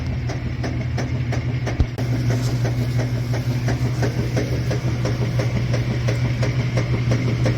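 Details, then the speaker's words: Admiral washer after lid switch (WP8318084) replacement, lid closed: even rhythmic swish-and-thump about three times a second over a steady motor hum; agitation working normally with the new switch, a bad switch would prevent agitation. "that's one of the symptoms there that you have a bad uh lid switch if it does not start to agitate this is working correctly with the uh new lid switch"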